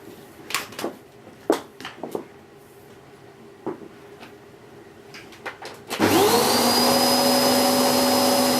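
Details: Hoover Whirlwind Pet WHS2102 001, a 2100W bagless upright bought in 2013 with its belt just refitted, on carpet: a few handling clicks, then the motor spins up to a steady high whine and even airflow with an aggressive brush roll; normal running.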